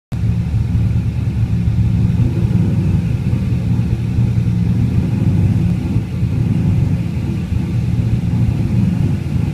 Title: LS1 idle issues, help!